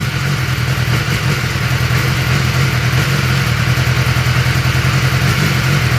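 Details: 2021 BMW S1000R inline-four at idle: uneven, lumpy beat with irregular stumbles instead of a smooth pulse, misfire.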